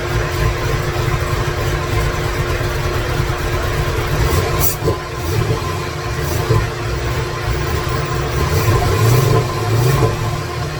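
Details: 2017 Corvette Z06 with Texas Speed 416ci stroker, Holley port injection, first fire-up with no tune, no coolant: deep lumpy burble, stumbling beat and surging loudness; rough running from missing tune.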